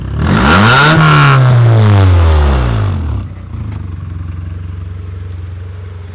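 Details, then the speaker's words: Honda Prelude daily build, first start after valve lash adjustment and cam gear install, small exhaust: engine revs up then drops back cleanly to a steady, even idle; running pretty good. "so yeah that's basically it it's running pretty good it's got it like got it little neoc exhaust on like down there"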